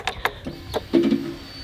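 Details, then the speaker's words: Yamaha 1300cc shaft-drive touring motorcycle, 50,000 miles: a few clicks then a short steady hum about half a second as the fuel pump primes; sounds normal, then starts right up. "That's the pump priming, and it sounds really good, and it starts right up."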